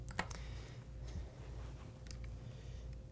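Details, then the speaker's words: Gamo Urban air rifle trigger adjustment screw turned a full turn too far: light irregular metallic clicks as the sear tries to engage but won't hold. "and now you can see the seer wants to engage you can hear it clicking but it just won't hold"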